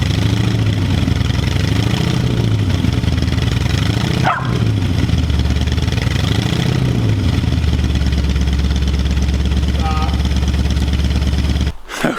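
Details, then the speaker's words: 1965 Mustang with completely rebuilt engine, cold start at about 45°F, plugs checked: idle surges up and down every couple of seconds and settles unevenly with slight shake; owner suspects the old carburetor, not confirmed. "guys everything's sounding good uh we're still getting a little shake at idle but i really think it's just this carb here"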